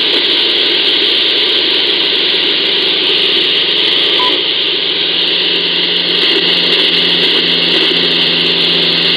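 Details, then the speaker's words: Ecoflow River 2 Pro inverter heard on a receiver near 49.53, powered speakers off: constant loud hiss with steady low buzz and faint ticking; interference disappears when the inverter is switched off. "oise even with the front speakers even with the powered speakers off but as soon as I kill the inverter the noise goes away again"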